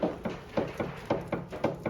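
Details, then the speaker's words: Peugeot with suspected worn anti-roll bar drop links, checked by rocking the parked car by the roof rails, camera near the wheel: sharp hollow paired knocks about four a second from a knocking drop link; links to be replaced. "you'll hear that drop link knocking. And that is the quickest and easiest way to check if you've got a knocking drop link."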